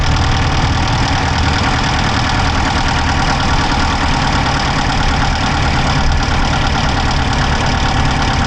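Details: Dodge Charger Hemi V8 at idle, recorded inside driver's side engine bay: rapid light ticking over steady low rumble; no smoke from exhaust so owner doubts dropped valve, cause unknown.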